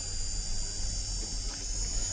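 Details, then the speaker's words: 5A 54V electric scooter charger under repair, 55V output with no load: as soon as the battery is connected it gives a steady high-pitched whine with a low hum underneath, and current stays in milliamps despite LM358 IC replacement; charger buzzing under load. "अब problem क्या है कि हम इसको battery से जैसे ही connect करते हैं, मैं बैटरी को कनेक्ट करूँगा, एमसीबी उठाऊँगा, एक तो ये आवाज़ करने लग गया।"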